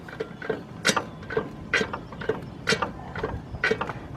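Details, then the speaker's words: 2003 Lincoln Navigator 4WD, on a jack: sharp metallic clicks about once a second with lighter ticks as the front axle turns; worn CV joint, other side also going. "you hear that noise inside there that's actually I got to let the customer know this know this four-wheel drive that noise is coming from the the CV joint"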